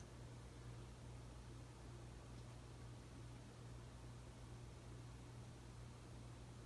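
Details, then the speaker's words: 52" Emerson Heat Fan ceiling fan dated September 1980, at minimum speed after bearing replacement and blade balancing: low steady hum, soft even whoosh, no rubbing, ticking or clicking; normal quiet running. "If you heard the noise in my last video of this fan, it's muted now. The two things I did to mute the noise is to replace the bearings and balance the fan."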